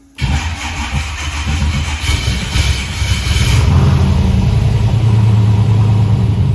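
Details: Freshly rebuilt LS V8, after an 18-hour rebuild for low oil pressure, on first start once the fuel is primed: cranks, catches cleanly and settles into a steady, even, deep-rumbling idle; healthy start.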